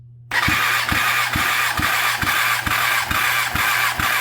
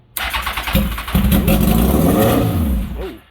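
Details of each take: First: Kawasaki ZX10R engine, tested cold and not yet run, cylinder 4 cranking compression test: steady starter whir with even pulses about two per second for eight seconds. About 170 PSI, matching cylinder 3; even compression. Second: Cheap basket-case Kawasaki ZX10R, started on starting fluid with straight side pipe: fires with a bang, climbs to loud raw rev and keeps revving on its own; cause unknown.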